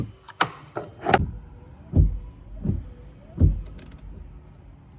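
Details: 2012 GMC Acadia front wipers, tested with switch-controlled power/ground: low thumps about every second and a half as arms sweep and reverse, smooth even cycle; wiper motor working normally.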